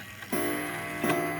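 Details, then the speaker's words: Seth Thomas cottage clock striking: two soft, mellow gong blows quickly dying away; very quiet strike, owner suspects the gong is a replacement. "so that's what leads me to believe this is a replacement gong which is why it's probably really quiet but hey less noise for me to have to"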